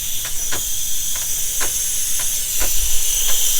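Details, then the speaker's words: 2024 SeaDoo RXT-X 325 boost leak test, filled with compressor air to just under 20 PSI: a steady sharp hiss with faint pulses; boost leaking from a loose intercooler hose, which was then tightened. "one of these hoses. Loose. There's a loose hose. one of these. Yeah, that's loose."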